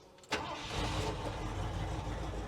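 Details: Finished 1971 Ford F100 NASCAR tribute truck with a turbo V8 and short bed conversion: a sharp crank catches at once and settles into a deep, steady rumble with no misses, a clean healthy start.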